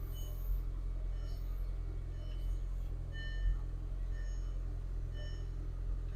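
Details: 2003 VW Golf GTI 1.8T automatic, 107,000 miles, after repairing a crank/no-start condition and reconnecting lines: low, steady, even idle with no misses, knocks or hunting. Normal idle.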